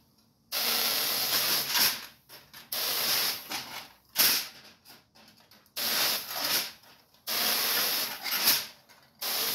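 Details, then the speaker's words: Ion lifter using a top foil plate instead of a wire, under high voltage: loud airy hiss switching on and off in bursts of one to two seconds. This is corona discharge, which is why it produces little thrust. "the noise is a Corona discharge so that's why you hear that noise and why it's not producing a lot of thrust"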